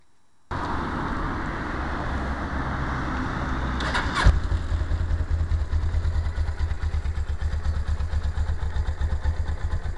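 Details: 1999 Suzuki GS500E: the bike starts, idles, then revs with a dense, uneven low rumble; the engine noise sounds off, but no specific fault stands out, and the cause is suspected, not confirmed.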